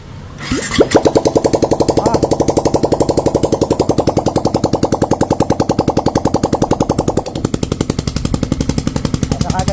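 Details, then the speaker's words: Yamaha TFX after cylinder block repair, first start: engine catches and settles into an even, steady, quiet idle thump with no knocking or rattle; healthy. Block failure blamed on oil problem. "Yun, mandar na mga bossing, tahimik na."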